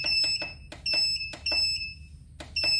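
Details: 1000W pure sine wave transformer inverter with charger, navigating settings from program 9 (frequency, 50 Hz) to 11 (max charge current 35 A): short, sharp high beeps in quick clusters over a quiet room; normal keypad feedback.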